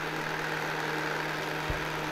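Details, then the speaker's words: 1972 Zelmer SC hand dryer, SILMA SAZ-2 fan motor plugged directly into mains after pressing the timer lever: steady mains hum with smooth even airflow rush, no rattles or scraping. Normal fan motor running. "Wyłączyłem na razie zasilanie, wcisnę tę dźwigienkę i teraz włączę zasilanie. I zobaczcie, ostrożnie, wiatraczek zaczyna się tutaj ładnie obracać."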